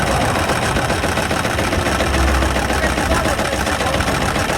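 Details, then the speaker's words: Mitsubishi Pajero 4 with 6G72 V6 at idle after a knock began under the hood while overtaking: harsh, loose metallic rattle about three or four times a second from the front of the engine; crankshaft pulley seen wobbling, cause unconfirmed. "так короче расклад такой что-то задребезжала в моторе по первичному обзору осмотр уточни дребезжит коленвал шкив коленвала гуляет как бы туда сюда"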